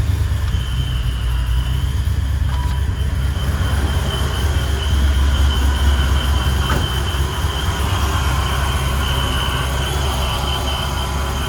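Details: 1994 Impala SS with blower, after replacing the Racetroix fuel pump relay to fix an intermittent fuel pump fault: steady, even low rumble with no stumbles or surges, running smoothly with healthy fuel delivery.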